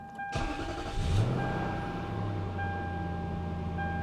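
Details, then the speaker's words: Lexus, either a 2002 LS430 or a 2007 LS460, started to back it out: short crank, then it catches cleanly into a steady, even idle with no misses or knocks; normal start. "Yeah, she sounds good."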